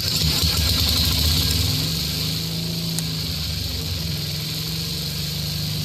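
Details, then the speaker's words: 1966 Simplicity Sovereign tractor, Briggs points engine being bottle-fed fuel, with a working coil but an extended old plug wire suspected of arcing: revs high with a fast, even buzz and no misfires; normal running. "So the generator is still on it, okay? Sounds good. Oh, there we go."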